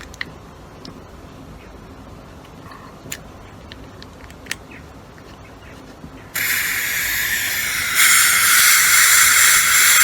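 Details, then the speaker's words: Snowpeak AP 900 air rifle being purged during hammer spring and regulator adjustment, with the purge screw partly undone and not fully removed: scattered faint ticks, then a sudden loud steady hiss that steps up louder as air escapes, a normal purge. "Right, you can hear the air. That's that screw there. You don't want to undo it fully, just so the air comes out."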